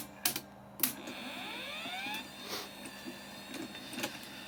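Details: Telefunken 900M (rebadged JVC HR-C3, 1982 portable VHS-C deck) that wouldn't load tapes, switched on with 350 mA slow-blow fuse fitted: small motor whirs up in rising pitch amid light clicks as the tape mechanism cycles smoothly; working.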